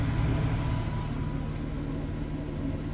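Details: Suburban SF-30F furnace in a 2007 Keystone Sprinter RV, reinstalled after replacing the bad control board: a steady, even low rumble with a faint constant hum, no clicking or scraping; the blower runs normally.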